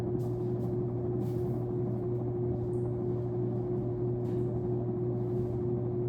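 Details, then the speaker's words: Sears Lasko Turn of the Century 52-inch ceiling fan, newly installed, running on high: constant low electrical hum with a steady higher tone, unchanging; owner finds the motor hum awful, possibly from the light. "So I'm going to start on high. Wow, that hum is awful."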